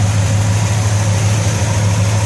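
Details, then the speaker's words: 1964 Chevelle Malibu convertible at cold idle, oil pressure just under 40 and temperature not yet up: a smooth, even low rumble with no misses or knocks; sounds healthy. "oil pressure is uh just under 40. temps not coming up yet and sounds pretty good"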